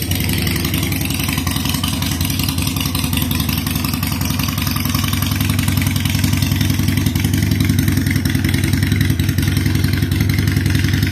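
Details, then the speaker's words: 2007 Harley-Davidson Sportster 883 Low, air-cooled, idling after fuel pump reinstallation with fuel pressure about 60 PSI (spec 55-62): steady, even V-twin lope with no misses, knocks or ticks; starts right up, owner unsure the fix is complete. "Seems to run pretty steady at that. Starts right up, and it seems to be running pretty good too."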